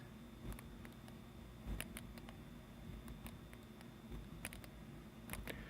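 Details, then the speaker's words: 1931 Emerson desk fan model 29646, speed control switch after cleaning: quiet, crisp clicks about once a second as the contacts snap home. Engagement is clean and positive, and the switch works fine. Oil between the selector and contact slider had caused poor contact. "way to do a switch and it works fine there's nothing wrong with it"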